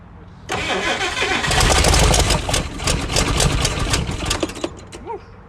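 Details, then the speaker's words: 1956 Chrysler Windsor, not run in at least five years, freshly reinstalled rebuilt starter, old wiring falling apart: steady fast cranking, three to four beats a second, never catches; cranks but won't start, cause unconfirmed, possibly no fuel. "See if you can crank it over. Nothing? Okay. Now me. No gas?"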